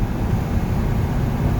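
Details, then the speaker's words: 1970 Ford F250, 360 engine, driving about 40 mph after carburetor tuning and spark plug re-gapping: steady low drone with no misses or sputters, best throttle response ever, running healthy. "my throttle response is the best it's ever been this is like this is great this is great i give her some gas and she actually takes off instead of spits and sweaters"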